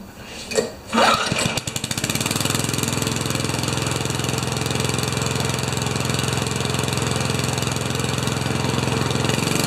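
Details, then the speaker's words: 1989 Craftsman Eager mower with Tecumseh engine, earlier hard to start, after repair: a pull or two, then it catches into an even, steady putter with no misses, very smooth; oil change may be due; normal idle. "Now there aren't enough O's in smooth to describe that."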